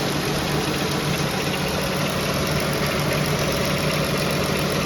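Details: Pentastar engine at steady idle with a light knock ticking about four times a second; after several second opinions, a piston wrist pin is suspected as more than likely, not confirmed.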